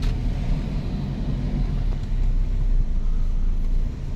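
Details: Toyota Innova driven over bumpy road as a final test after a worn upper ball joint was found: steady low road rumble with no clunks or knocks from the front suspension.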